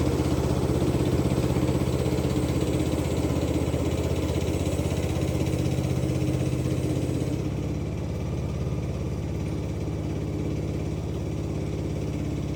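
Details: Free Craftsman LT2000 lawn tractor, parked about 6-8 years, running after cleaning solenoid and ignition switch connections: single-cylinder engine holding a steady, even beat with no stumbles or knocks, clean and healthy; normal running.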